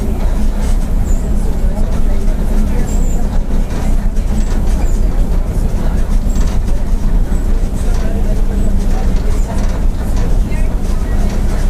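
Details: 2007 Mercedes-Benz OF-1722M bus with Torino body, cruising on route: steady low drone with a constant hum over engine and road noise; loud, roaring rear differential.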